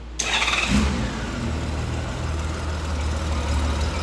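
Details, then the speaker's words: 2000 Honda GL1500 Goldwing, about 60,000 miles, carbs rebuilt, new battery, fuel treatment added, sat over a year: quick crank catches at once, brief rev, then a smooth, steady idle. Runs healthy. "burr's like a kitten so yeah he's going to need to still run it a good bit like i say it's been sitting for over a year"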